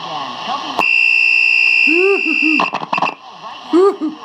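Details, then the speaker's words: General Electric C-403A radio with the RF bypass capacitor disconnected: loud high-pitched squeal and bird-like chirping from RF oscillation in the front end, warbling as tuning drifts. "you know you know when you hear that bird chirping usually it's in them in the front end of the radio"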